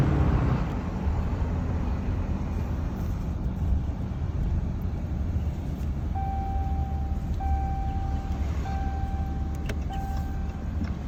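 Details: 2022 Ram 2500 at rest: deep steady rumble with a thin tone cutting in and out about once a second; weird noise of unknown origin.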